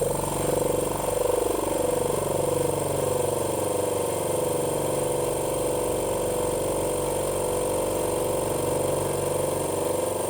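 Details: Cleaned 50 L twin dry air compressor filling the tank: fast, even piston chugging over a steady drone that holds pitch as it fills, normal running.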